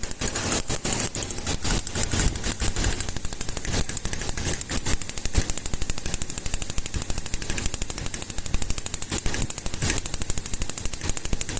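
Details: Gasoline Toyota engine with heavy pinging (cascabeleo) and strong engine tapping: fast, sharp metallic tapping rattling steadily over the engine. Ignition tester shows dropouts and poor combustion time, indicating current leaking from plug cables. Coil output towers found damaged by poor discharge.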